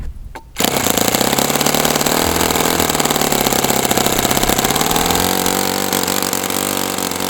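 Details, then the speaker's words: OS FS60 open-rocker glow four-stroke on a test stand, first run after years in storage; carb needle reset to two turns with the fuel-tube trick and it ran very warm. Owner unsure if overheated, compression good, but it runs harsh, buzzy and wandering. "So, I don't know what's going on with this thing. It's I don't know if I overheated it or what, but compression feels really nice, but it is very unhappy with life right now."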